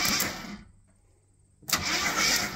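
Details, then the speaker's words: 1972–74 AMC Gremlin after sitting a long time, cranked via jump pack at the starter solenoid: strong, even churning, no grinding or hesitation, engine turns over freely; normal cranking. "that actually cranks and sounds like an engine the darn thing sounds really good"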